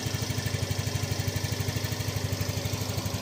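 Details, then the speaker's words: Yamaha Fino 125 scooter with low-throttle hesitation and lack of power: a steady, even, low single-cylinder putter at idle with no misses. Normal, healthy idle. "Oke, langsung saya nyalakan ini. Oke, untuk langsamnya sudah oke ya."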